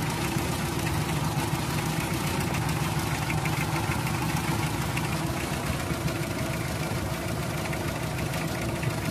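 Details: Toyota 2C diesel engine clattering at idle with an uneven, shaky beat of roughly eighty pulses a minute that never settles; rough idle, cause suspected, not confirmed.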